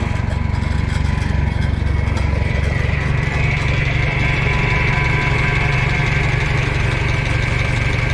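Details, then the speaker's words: Minneapolis Moline A4T 1600 tractor at idle: thin steady whine over the engine chug from the power steering pump; no visible leak, later fluid added and low fluid thought to be the cause. "Steering pump's making some noise on this. I'll check the fluid in it, but it doesn't look like it's been leaking, so I don't know. But it doesn't sound good."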